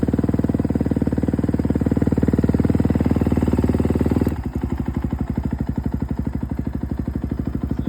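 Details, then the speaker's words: 2011 KTM 350 single-cylinder, 40 hours, fixed after no-spark fault traced to failed stator: crisp, even firing, fast steady beat settling slightly after a blip; clean, healthy normal running. "So that's probably from top end or something, but yeah, it runs pretty good now."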